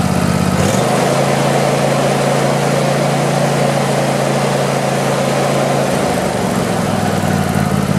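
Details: Craftsman YT4000 lawn tractor with a twin engine, after sitting in a barn for years, cranks briefly, catches quickly and settles into a steady, even idle with no misses or knocks. The deck engages but vibrates, so the blades will probably be checked.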